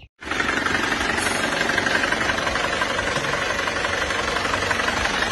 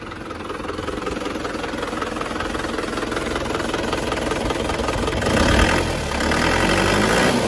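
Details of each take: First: Diesel engine already rebuilt once but never healthy, as it first arrived: rough uneven idle with harsh knock about four times a second, heavy exhaust smoke and blow-by; scored cylinder liner found, second engine rebuild. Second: Diesel engine from Mesuji, Lampung, after a second engine rebuild and injector nozzle servicing to cure smoke and rough running: steady, even idle clatter with no misses or hunting, running smooth.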